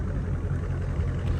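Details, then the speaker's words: Dodge Charger/Challenger with active exhaust valves wired open to delete a rattle/squeak: deep, steady rumble at idle with no squeak or rattle from the exhaust; sounds clean and healthy. "all right y'all uh we got Aqua in uh auto mode and uh she's sounding she's sounding [Music] good"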